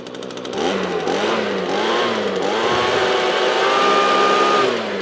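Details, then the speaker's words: Owner's own small two-stroke blower, known to run recently, warmed up: revs up cleanly, holds a steady high pitch, then eases back without stumbling; running well. "that one's nice so that one is all good to go"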